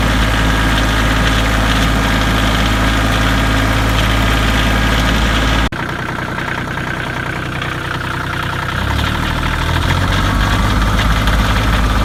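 Cold diesel idle with an uneven, lumpy beat about three to four pulses a second, settling as revs change; a misfire.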